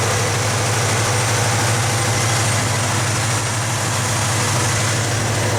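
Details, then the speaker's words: 1970 Pontiac LeMans 455 V8 after 2100 miles, restarted after the failed fuel pump diaphragm was dealt with and a possible flood: steady, even low rumble with no misses, knocks or ticks and no fuel leaks. Normal idle. "we've got idle well it's at least breathing again i don't see any fuel leaks that's good news"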